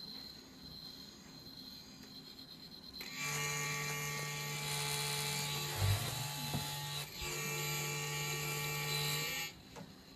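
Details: Z-15 gimbal with Panasonic GH3, fine for 20 flights, now on every startup after initialisation: steady low electric buzz with high whine for about six seconds, then stops; gimbal motor buzzing.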